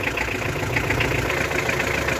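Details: Hyundai HR diesel idling after fuel filter replacement: steady, even clatter with consistent rhythm, no misses or heavy knocks; engine runs healthy.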